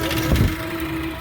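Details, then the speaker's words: Belt-driven exhaust fan motor (208 V) that had likely failed because of bad motor starter contacts starts with a steady low hum and even drone, no knocking or slap, despite a slightly loose belt. Current is under the 3.4 A rating: normal running. "It's running."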